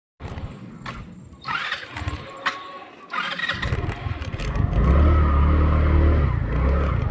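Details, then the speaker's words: Rusi Rapid motorcycle unused two years, now fitted with a D-type carburetor: several weak cranking bursts without added fuel before it catches into a rough, uneven low idle; hard starting, carburetor found rusted in the jets with moss in the diaphragm. "Ayan oh pagka pinat natin tapos di natin sinawa ng gasolina Ang hirap niya"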